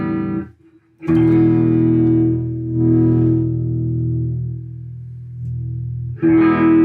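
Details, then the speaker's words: 1965 Fender Deluxe Reverb after basic service (out-of-spec grid leak resistors replaced; pots, jacks and tube sockets cleaned; bias checked near 9 watts), guitar test at low volume: notes ring clean and steady with no static or scratch in the pots, so the output is clean. "[Music] So that all sounds good. No static in the [Music] pots."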